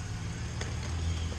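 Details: 2007 Chevy Silverado Classic 4.3L V6, after an all-crank no-start from no spark, fixed by repairing the ignition wiring: it catches and settles into a low, even idle rumble with no stumble or knock. Normal idle.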